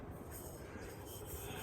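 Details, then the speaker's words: Newly installed Westinghouse Turbo 2 ceiling fan on maximum speed, light cover off: low even whoosh and soft steady rumble, no rattle, quiet and healthy; fitting the light cover makes it much noisier. "right so it's up and it's working well you can see that's that's on maximum speed and it's nice and quiet"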